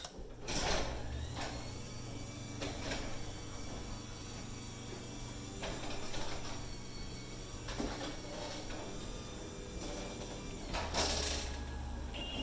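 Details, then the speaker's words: Two 9x7 full-view garage doors after replacing the standard metal rollers with XiKe rollers: the door travels up with soft rolling and only light thumps at panel joints, with no metallic clatter; much less clunky, quiet operation. "all right here's the comparison test [Music] so here we go so [Music] a lot less clunky all right let's go up with it"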